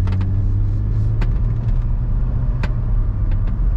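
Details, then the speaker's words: 2006 Mercedes SLK 350 Roadster that had been sitting for a while, driven off the auction lot at low speed; steady engine rumble under light driving with no flare, slip or clunk between gears. Normal automatic gear shifts, clean. "shifts pretty good pretty clean shifts that's a good sign"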